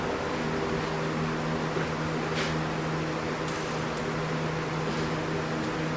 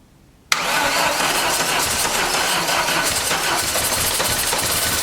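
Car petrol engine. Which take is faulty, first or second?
second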